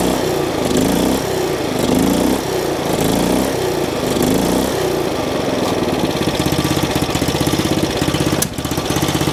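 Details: Old riding mower's single-cylinder engine on a choked start after its carburetor was replaced with a cheap knockoff. It surges and runs a bit lumpy, then settles into a steady, even chuff; owner thinks it almost sounds like carbon in a valve.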